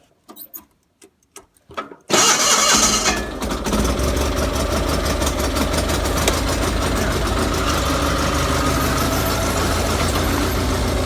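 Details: Gravely 817 Onan CCKA twin after starter replacement, with choke and PTO held: quick crank catches and settles into an even, steady idle; clean start.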